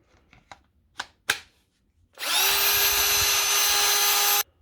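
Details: Power tool after fitting a new board, on a charged 19.8 V battery: a few clicks, then the motor spins up to a steady high whine for two seconds and stops cleanly; repair successful, sounds healthy.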